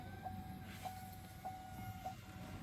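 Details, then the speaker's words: 2.8 Duramax Canyon/Colorado after fuel filter change, key on before start, heard in cab: thin steady whine pulsing about twice a second, louder as lift pump fills filter housing and builds pressure; normal priming. "so we have a pretty consistent wine and now it's getting [Music] louder it's continuing to make this noise where it's it's filling that housing and now you can hear it's starting to build"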